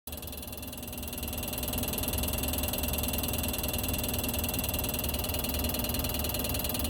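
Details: New LG air conditioner outdoor unit: rising fan and compressor hum settling into a rough, buzzing drone with a faint rattle; abnormal noise, cause unclear.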